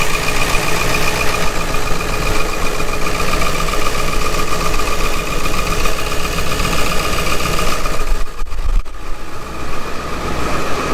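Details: 1999–2003 Ford 7.3 Powerstroke diesel after fuel bowl O-ring replacement and priming: steady, even clatter at idle with no misses or knocks; engine healthy and the fuel bowl no longer leaks.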